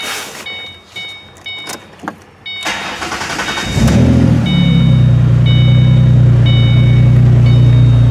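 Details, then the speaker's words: 2008 Ford Mustang previously stuck in idle-only mode with P2 codes, now accepting throttle after a visual-inspection fix: the starter whirrs, the engine catches and revs up smoothly, then holds a strong steady hum over a beeping door chime; normal throttle response. "listen to that raw power she's a beast so that's a little better"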